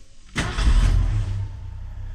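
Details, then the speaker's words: 1981 Ford truck, carbureted, hot start without pumping the gas after PCV valve, grommet and charcoal canister replacement; brief crank, catches at once and settles into a deep, even idle, slightly high but fine in drive. "Uh, I think we're doing pretty good. Idle's a little high, but in drive that idle's not bad."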